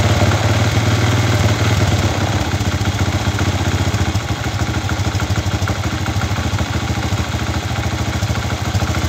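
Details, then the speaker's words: Chinese 125cc kick-start motorcycle with an iron cylinder, after fitting a fixed-timing, no-advance analog 5-wire AC CDI: it starts much easier and settles into a steady, slightly clattery idle at about two beats a second, idling well though spark is quite retarded. "bueno como pueden ver ya arrancó mucho más fácil y la moderación ya cambió un montón ahora puede moderar bien la moto"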